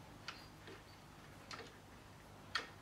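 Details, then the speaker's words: SIEG X2 mini mill speed-change gearbox before belt-drive conversion, in high gear: sharp clunk about once a second over faint motor hum from stripped gear teeth. "now you can hear it Go clunk clunk yeah hear it so the gears I have stripped in there as well"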